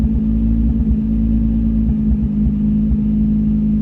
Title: 350z Misfire